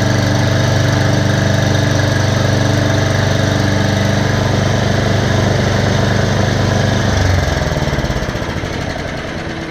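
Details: Bear Cat chipper/shredder after repair (belt, knives, screen, spark plug, mouse nest cleaned out): smooth steady drone with even low beat, no knocks or rattles, then winds down cleanly; rotor sounds well balanced; normal running.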